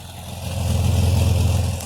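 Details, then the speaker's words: 2000 Jeep Cherokee petrol engine warming up, blipped from idle: rapid puffing, chuffing edge on the deep exhaust note; owner suspects a small exhaust leak, not confirmed. "a little bit of an exhaust leak because it goes you can tell it's got a little bit of an exhaust leak"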